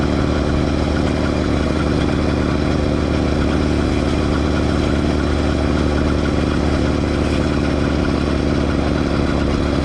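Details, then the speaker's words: Motorized Schwinn Stingray (new remake) with two-stroke bike kit: busy buzz at steady speed with a constant rasp underneath; drive chain rubbing on the rear tire, quite pronounced, only under load; half link initially suspected, ruled out. "biggest issue that needs to be addressed right away obviously the chain rubbing on the rear tire which you can hear in the video it's quite pronounced"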